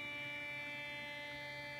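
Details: A steady buzzing whine of many evenly stacked tones that never changes: RFI from a computer monitor's switching power supply, picked up on an indoor LF/MF loop antenna with no preamp while rotating the loop toward a null.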